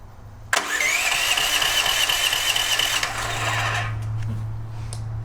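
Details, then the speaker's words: DuroMax XP13000HXT tri-fuel generator that runs on propane but not gasoline; catches on starting fluid, runs rough and loud about three seconds, then dies. No fuel delivery; water found in carburetor, jet possibly rusted. "she likes the starting fluid okay so she definitely likes a starting fluid but I'm starting to wonder about this fuel that's in the so we weren't getting fuel flow"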